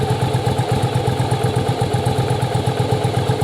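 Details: Yamaha Virago V-twin, parts-bike restore/rebuild for a cafe build, idling during strobe timing check: even, steady thump about four beats a second, no misses or rattles; healthy normal idle, in time.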